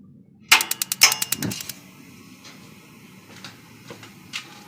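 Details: Tankless water heater after fitting new batteries: a quick run of about ten sharp igniter clicks, then a steady hush as the burner lights normally. Before the battery change, not enough power reached the solenoid.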